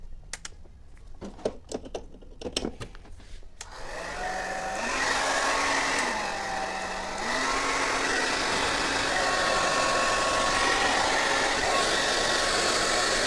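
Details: Hair dryer after repair of a crackling, scraping noise on second speed: switch clicks, then a smooth whirr stepping with speed changes and no scraping. It now runs normally on second speed.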